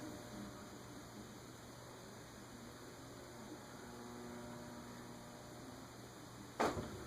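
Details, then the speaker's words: Hunter Hotel Original ceiling fan model 52-H/23702, previously locked up and freed with WD40 and oil, on a solid-state speed control starting around 0.11: steady low electrical hum and buzz, responding poorly to the control; motor hum. "Looks like 0.11 is where it starts, but I hear it buzzing already. Just curious. .2 is not responding well to the solid state control."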